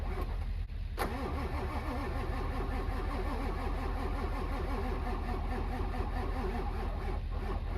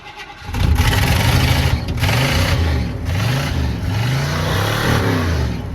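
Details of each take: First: Winter retry of a truck, apparently the 740k-mile 7.3 Powerstroke diesel left unstarted for months: a slow, uneven starter churn for the whole ten seconds with no catch. A hard-starting diesel; the owner is unsure it will start. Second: 351 V8 truck sat about a month, started foot to the floor: it cranks briefly, catches within half a second, then settles into a deep, even rumble with a few clean blips. A healthy start after sitting.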